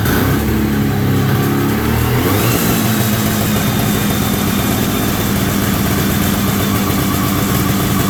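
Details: 1973 Columbia snowmobile two-stroke, after carb rebuild, tank cleaning, new fuel lines and refitting the missing crankcase pulse line: brief rise in revs, then a steady, unbroken drone with no stumbling or dying.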